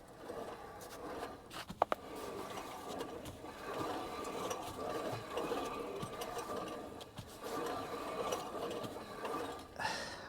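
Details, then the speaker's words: 2006 Volvo XC70 with no forward or reverse: irregular light clicking and clacking, like loose metal and gear pieces tumbling inside the transmission as the wheel is turned by hand; a blown transmission is suspected, not confirmed. "there it is in there i hear something just clicking around in there"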